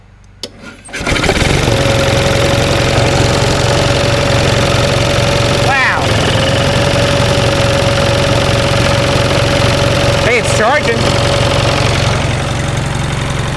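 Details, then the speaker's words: 1945 Onan generator, first start after fuel pump rebuild, throttle turned down: cranks briefly, catches easily, good oil pressure, charging hard; settles into even, steady low-speed run with faint whine; runs healthy. "now it's running it's running slow now of course i turn the throttle down we gotta turn that down a little bit charging hard there we go isn't that a nice sounding little generator"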